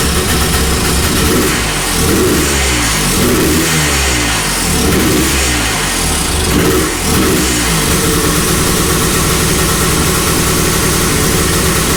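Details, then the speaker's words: 1982 Honda ATC 250R first-gen after top-end rebuild: idle rises and sags every second instead of settling; suspected choke circuit sucking air, idle can't be dialed in with fast idle screw; new carb coming. "I think that choke circuit is sucking air, and that's why the idle's sporadic, and I can't dial it in. It's just not responsive to the fast idle screw."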